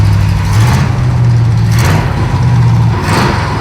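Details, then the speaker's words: 1937 Pontiac junkyard-rescue V8 with new carburetor while mixture is richened: strong low rumble with smooth throttle swells settling to a steady idle, no misses; smoke is leaked automatic transmission fluid burning off the header. "Let me richen it up a little bit. Seems fine. Are you on it? Okay. Woohoo! Sounds good."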